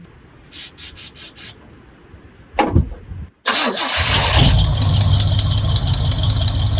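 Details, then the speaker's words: Squarebody Chevy truck after hose changes and removing the zip tie from the choke; a few clicks and a cranking burst, then the engine settles into a steady, even, smooth idle and sounds better. "Sounds better. Stunning turn of events."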